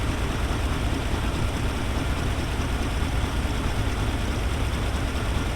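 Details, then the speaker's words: 1975 square-body dump truck V8 just started once the fuel line was hooked up. Loud, rough idle with raspy, puffing exhaust chatter under the rumble, heard as leaking exhaust manifold gaskets. "That engine is wide. Holy cow, these exhaust manifold gaskets, I already hear that."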